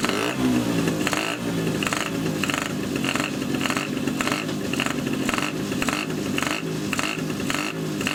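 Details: Two-stroke moped with Polini 177 cylinder, Malossi X360 reed manifold and original Malossi reeds, PHBH 30 carb, Megadella V5 exhaust, no air filter, first start: sharp raspy blips with a loud hollow intake honk on each rev; very loud reed valve noise.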